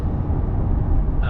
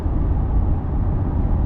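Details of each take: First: 2023 Chevrolet Corvette C8 cabin at cruise: steady low hushing rumble, general road and tire noise through the windows, a persistent hushed noise from the front end and rear ticking; car otherwise quiet. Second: Chevrolet Corvette C8 at cruise: steady low road rumble with a soft, even hiss from the front tires, no drone or rhythm. It is judged ordinary tire noise for this car, not wind noise.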